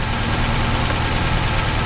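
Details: 2004 Honda Accord 2.4L petrol running rough at idle, no codes stored, spark tester shows no spark on one cylinder: loud heavy lumpy low rumble with no clean even beat, single-cylinder misfire from a shorted ignition coil.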